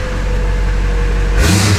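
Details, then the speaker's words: Duramax diesel in a K20 truck build: steady idle, then a sharp, clean rise in revs with quick pickup and no hesitation or knock; throttle response described as insane. Normal throttle response. "Oh my god, dude. It's so much fun. Bro, the throttle response is insane. Yeah, it is."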